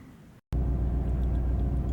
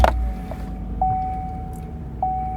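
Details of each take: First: Chevrolet Silverado with no power and a recurring cylinder 6 misfire code, check engine light on, while coils are being swapped. Low, uneven V8 idle with a lumpy, stumbling beat; cylinder misfire. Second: Chevrolet Silverado V8 with a cylinder 6 misfire code, after reconnecting the loose number six plug wire: low, even idle with no missed beats or stumble. Runs smooth on all cylinders.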